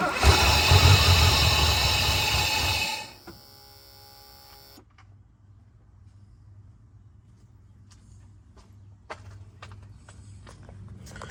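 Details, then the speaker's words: 1984 Mercedes 500SEC Euro-spec after fuel pump change, debris in line causing a clog: starter grinds about three seconds with no catch, then clicks; barely starts, fuel starvation. "the car barely wants to start and it struggles so it's a fuel deficiency"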